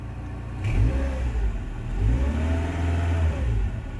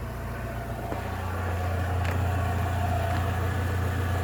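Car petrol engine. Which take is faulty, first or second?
first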